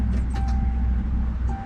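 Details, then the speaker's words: 1988 Mercury Cougar fuel pump tested with a test light before installation: thin steady whine lasting about one second over a low rumble, then stops. Normal fuel pump prime. "hooked up the test light and we'll see if the test light lights up to Prime the fuel pop there we go it's like about a 1 second prime"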